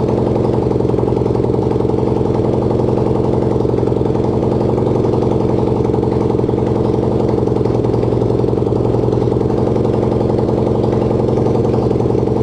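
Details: Racing lawn-tractor single-cylinder engine (250cc, though also called 150cc) on its first start, no exhaust and no throttle fitted, stopped with the kill switch: loud, rapid open-pipe putting at a fixed speed without stalling; runs normally.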